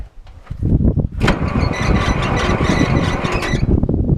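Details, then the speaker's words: IH 2504 tractor, Continental C-153 petrol engine, just revived after sitting for years; cranks and runs with sharp squeal as belt slips on loose, incorrect alternator; fan not spinning properly. "my alternator is not tight because it's not the right one but you'll watch watch my fan there let me crank this thing over"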